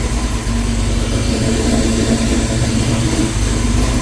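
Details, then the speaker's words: V8 truck, first start in 2 months after rebuild with COMP Thumpr 227/241 hydraulic roller cam, COMP valve springs and Moroso high-volume oil pump, warming up: idling at 800 rpm, deep steady even rumble with no knocks or misses; sounds healthy. "idle at 800 through perfect he learning right now attempts 160"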